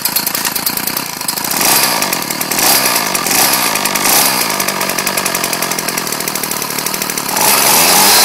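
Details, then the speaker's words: Ryobi 790r two-stroke trimmer, finally running after its dirt-clogged carburetor jet and bowl were cleaned, started in about 40° cold. High-pitched buzz at fast revs, even and unbroken with no sputter; running well. "I'm good God these things move around a lot but uh it's running good as you can see"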